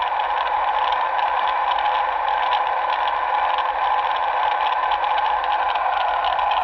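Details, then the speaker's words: 2006 Nissan Altima at idle, serpentine-belt components checked with a Steelman electronic stethoscope: constant raspy whirring through the probe; channels 2 and 4 loudest, alternator to be replaced. "Let's go to number 2. That's making quite a bit of noise. Number 3 doesn't seem to be too bad. And number 4 seems to be making quite a racket."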